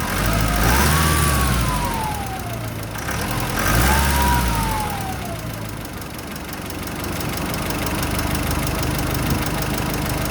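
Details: Nissan Pathfinder R51 diesel, revs blipped: a whistling whine rises and falls with each blip over the diesel rumble; turbo whine.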